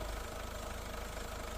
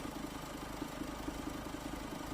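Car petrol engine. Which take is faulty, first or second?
second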